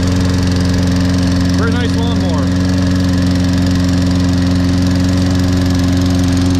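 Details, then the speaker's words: Toro Recycler 22-in model 20334 electric-start mower, 190cc engine with auto choke, on a January cold start after sitting unused for some time; it took effort to start but the battery held charge. It now runs with a steady, even drone, no misfires or rattles: normal running. "And the electric start one, it took a bit to start, it finally did."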